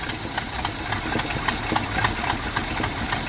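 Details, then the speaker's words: 1973 Jeep Commando 304 V8 after carb rebuild, started with pedal floored: uneven, lumpy idle with irregular ticking and stumbles about three a second; carb still flooding, float found cocked and rubbing the carb side. "I have to put her on the floor to get her to start, but definitely gonna run a little rich for a while. Come on, baby. And oh, she's still fucking doing it."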